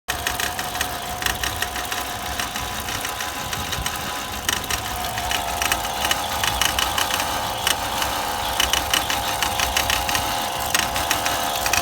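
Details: 2002 Volvo XC70 running rough at idle with irregular clattering knocks over a high metallic ring; previous owner reports it dropped a piston right after a timing belt job.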